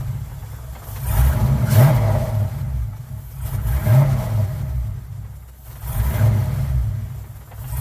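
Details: Car "Suzie" just after new starter fitted, started on a weak battery; catches straight away, lumpy loping idle with rev swells, sounding like a roller cam; runs fine.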